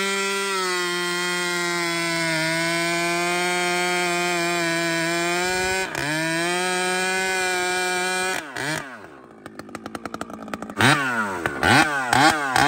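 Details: Chainsaw with aftermarket muffler, outer adjustment screw richened about a quarter turn: clean, steady high-pitched scream held wide open about eight seconds, then blips and dies down; crisp, well-tuned at full throttle.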